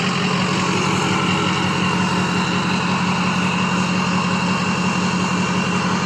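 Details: Ford 6.0 Powerstroke diesel, warmed up, idling after a tune update, heard at the exhaust on a walk-around: smooth, regular clatter with no knocks or stumbles; normal warm idle.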